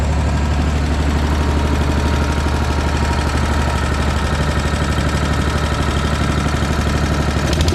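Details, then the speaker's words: Briggs & Stratton single on an Agri Fab Mow & Vac leaf vacuum, after valve adjustment raised compression to about 25 psi: even, steady firing rhythm, no misfires or rattles; strong compression release. "well that runs really nice I'm kind of shocked I never have seen one where that compression release releases that much compression that it would act like it has almost zero compression"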